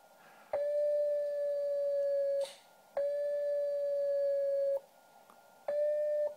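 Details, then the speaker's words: HamCan regenerative transceiver on first power-up, heard through headphone output into an amplified speaker: a steady whistle of about 600 Hz in two-second keyed bursts, each sagging in pitch as the transmit frequency drifts severely; it is about 2.5 kHz off crystal. "so you can see that here that the frequency is I really need to get a key for this thing but frequency drifts pretty severely as it goes down in"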